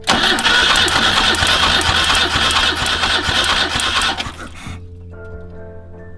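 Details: BMW 2002 with Weber 32/36 carburetor, compression test on cylinder one with all plugs out: steady, even cranking for about four seconds with evenly spaced strokes and no knocks.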